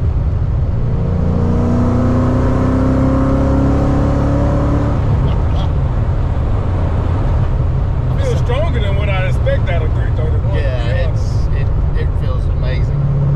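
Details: Tuned 331 stroker V8 in a GT with a smaller intake, possibly a 65 mm throttle body, running after a failed brand-new part left it dead; deep, even rumble, steady idle with regular firing and no misses.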